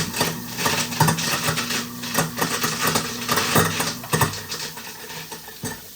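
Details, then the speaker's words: Kitchen garbage disposal switched on with water running: irregular metallic clanking and rattling about twice a second over the motor. Debris (bone pieces) bouncing in the blade assembly; the unit also had an open thermal overload. "However, if you heard like I heard, it sounds like there's something jumping around in our blade assembly. It sounds like we've got something that perhaps went down that shouldn't have."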